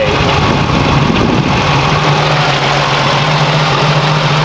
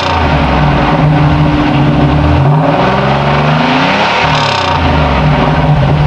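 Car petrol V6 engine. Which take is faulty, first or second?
first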